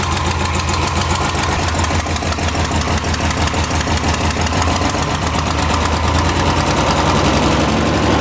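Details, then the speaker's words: Square-body Ford Ranger engine with new heads, after the distributor was readjusted: a steady, even low idle with no misses or knocking, said to be the nicest it has idled since 1987. Normal idle. "Much better. Yeah, that's good. So I don't think this thing has idled that nice since 1987."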